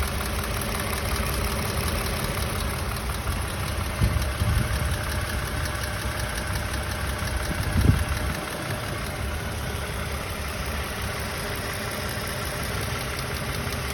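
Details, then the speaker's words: 2016 Toyota Camry XLE 3.5 V6 2GR-FE at operating temperature, recorded at the engine sides. Steady idle with a fast, light tick that began around 45,000 miles and grew louder. The water pump was recently replaced at about 60,000 miles, and mechanics remain unsure of the cause. "around um 45 000 miles he started making this ticking noise and it just got louder and louder"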